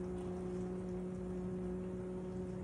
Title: My noisy kitchen aid dishwasher makes me cry KDFM404KPS